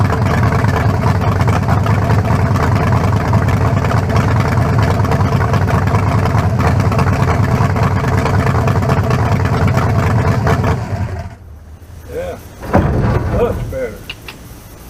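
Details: 1974 Nova's new 350 bored .040 over (356) with lower-compression forged pistons and a new converter, first start without turbos fitted and good fuel pressure: deep, steady V8 idle with an even lope, no knocks or misses; sounds healthy.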